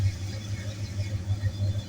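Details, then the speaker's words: 1965 Ford Mustang 289ci V8 idling cold with about 50 psi oil pressure on the newly added sensor: deep, even low rumble with steady soft pulsing and no knocks or ticks; normal cold idle. "Donc là je suis à froid, j'ai environ 50 PSI. Ce qui correspond à peu près au milieu de la jauge sur l'ancienne."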